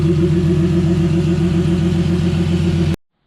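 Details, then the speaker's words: Turbo M52-swapped BMW E30 at operating temperature, thermostat open, lightly revved: steady strong engine note for a few seconds, no knocks, misses or rattles, then cut; normal warm running. "i got it up to temp revved it a little bit bottom radiator hose is warm now so thermostat opened"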